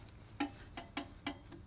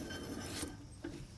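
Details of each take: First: RV camper hub after a Hub Defender spacer and low-drag bearing install, spun by hand; light irregular ticks about twice a second as the brake shoes brush the drum. No end play, slight preload, hub spins freely. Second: RV camper trailer hub reinstalled with Hub Defender spacer adjusted and spindle nut tightened, spun by hand: soft, even rasping whir with no clunks or grinding. The bearing turns freely and smoothly, and in-play is checked next.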